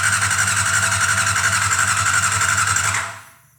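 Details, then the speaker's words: 1990 Honda CBR600 stored outside ten years, carbs fogged with gasoline: steady whirring crank for about three seconds that never catches; cranks but no spark, traced to a faulty kill switch. "Maybe it didn't run just because the carburetors are stuck shut and wouldn't let enough air in there to fire up."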